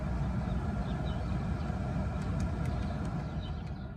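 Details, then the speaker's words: 1999 Mercedes E55 AMG (W210) cabin blower after repair, tested from climate control low to max: steady low whoosh with no whine, rattle or surging; fan working normally again. "That's low speed. Go higher. You can hear it. It's all working. And that's the max."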